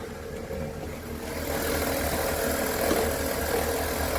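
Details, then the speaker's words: BMW E46 idling after new exhaust and catalytic converter fitted, leak now gone; steady idle with whirring, rasping midrange note about four pulses a second from engine bay, owner suspects alternator. Abnormal engine noise at idle. "but now that the exhaust doesn't leak anymore we have a strange sound from the engine compartment ya hear that"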